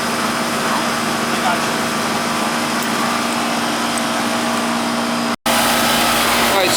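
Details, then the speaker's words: 18-year-old Goodman AC condenser, checked because the house wasn't cooling: a steady, even fan and compressor hum with no knocks or rattles. The caps aren't leaking, the suction line is sweating and good air comes out the top, so it is running normally. "so we checked the caps aren't leaking. We're getting a nice sweat action. We got nice air coming out of the top of this thing. The Goodman. This one's working okay, right?"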